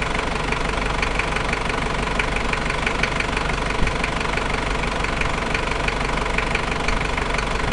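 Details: Toyota 1KZ-T diesel, new engine, idling with a steady, fairly fast knock, about four a second over the engine rumble; the cause can't be pinned down by ear.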